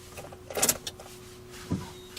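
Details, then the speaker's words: 2005 Ford Escape 2.3 L four-cylinder struck by lightning, key-on after PCM programming: thin steady fuel pump prime drone under a few clicks; pump sounds rough, may need replacement. "And you hear the fuel pump doesn't sound too good on this one. So may need a fuel pump."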